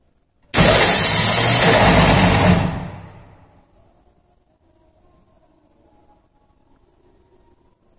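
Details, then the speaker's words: Starter motor bench-tested on a 12 V battery supply with a flywheel loading mechanism, no load applied: sharp high whir holds about two seconds, then fades as it spins down. Draws around 100 A, running free and healthy. "so it's around 100 ampere when there is no load it's running free"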